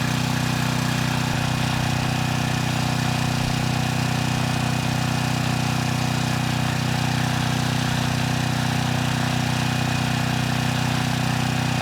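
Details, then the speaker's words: 6,000 watt Troy-Bilt generator after AVR adjustment: steady, even drone at constant speed with no hunting, misses or knocks, voltage up to 118 volts, no strange sounds or unusual smell; normal running. "The voltage, it came up to 118 volts. This time, the engine didn't make any strange sounds, and I don't smell anything unusual."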